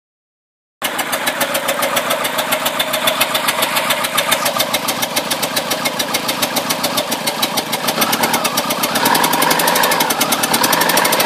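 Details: 1993 Mercury Tracer 1.9 SEFI four-cylinder idling: steady sharp popping tick through the exhaust note, started after replacing camshaft position sensor.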